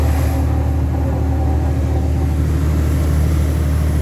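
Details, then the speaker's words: Truck diesel climbing a long grade under load at about 100° engine temperature: deep steady drone with a thin high turbo whistle on top; normal turbo whistle. "турбіна свисти твоє ще раз неби добре на Volvo"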